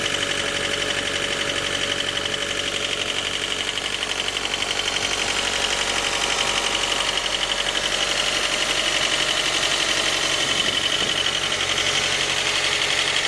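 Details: J20A engine, 2010, cold: steady, fairly regular knock about three per second over a bright top-end clatter. Began near 10,000 km and grew after oil changes; valves, compression and oil pressure fine. Cause: scored crankshaft journal, cylinder 3; short block replaced.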